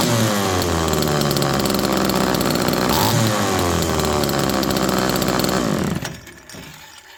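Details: Second Homelite Super Mini two-stroke chainsaw, now cooled off and without exhaust fitted: high, wavering revs surge and drop unevenly, erratic going down to idle and turning very rich; air leak now doubted.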